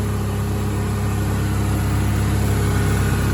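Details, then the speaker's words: 1992 Ford Ranger 2.3 four-cylinder after new spark plugs, plug wires, ignition coil, thermostat housing, tensioner pulley and belt: started right up, steady even idle with no sputter; normal smooth idle. "She started right up, no spit and sputtering. Sounds good. I don't think it started that smooth ever."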